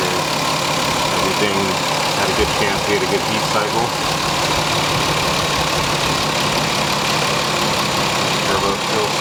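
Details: Lexus IS300 2JZ with CX Racing turbo kit, hot idle after a long first city drive. No leaks seen; it smoked slightly on startup, which the owner thinks was oil on the exhaust manifold. Even steady idle with a smooth hum, no knocking, ticking or misses.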